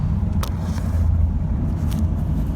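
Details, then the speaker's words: 1997 Dodge Ram 1500 driven home: deep, lumpy rumble with an uneven beat and stray pops, running as if on about one cylinder and smoking; owner suspects the timing chain jumped a tooth, unconfirmed. "now it's running on about one cylinder oh listen to it yeah that's all she's got"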